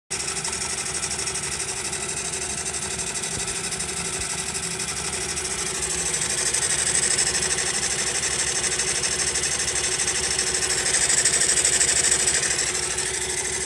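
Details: Honda Monkey small single idling after a tappet adjustment: crisp, regular ticking about three per second over a bright clatter; the abnormal engine noise persists, source undetermined.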